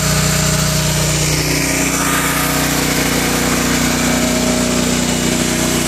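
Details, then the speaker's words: Generac 7000EXL generator converted to tri-fuel, running on propane from a 20 lb cylinder: a loud, steady drone holding even speed once vacuums and 1500 W heaters come back on, with no surging or stumbling. Smooth even at low idle. Normal running under load. "but as you can hear it's running very smooth even at a low idle now if I add turn everything back on both right back up no problem"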